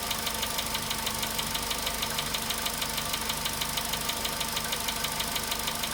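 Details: VW Polo Sedan at 93,000 km, cold start idle: sharp, even ticking about three per second over a steady idle; persistent engine knock whose source can't be pinned down by ear.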